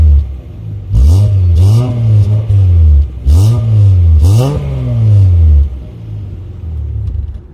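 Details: Mazda MX-3 V6 with a $50 RockAuto replacement muffler: a deep, smooth exhaust drone rising and falling with throttle blips, with no rattles or leaks.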